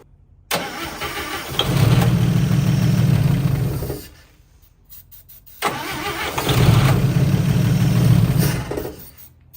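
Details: 1955 Chevy Two-Ten coupe parked 40 years; two three-second cranking bursts with starter churn and a few pops, never catching; fuel pump suspected of not pumping.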